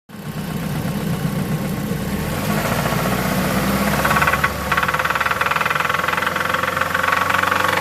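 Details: Mazda 3 2004 at idle with sharp, regular knocking that keeps time with engine speed; internal knock, cause still to be traced.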